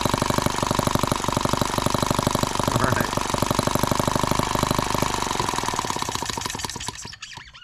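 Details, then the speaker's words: Microcosm H76 small model engine on first start; fast uneven popping about three beats a second that stumbles and fades, still burning off excess fuel, suspected cause of rough running, not confirmed. "still burn on some of that excess fuel that could be part of the problem too"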